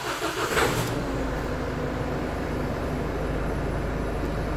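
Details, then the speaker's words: Isuzu D-Max 1.9 diesel, 104,000 miles, used for towing, with a crank-no-start blamed on low, sludgy oil: after an oil and filter change it cranks briefly and settles into a steady, even idle clatter, no smoke and no codes. "runs no smoke like I said we've got no no engine management lights"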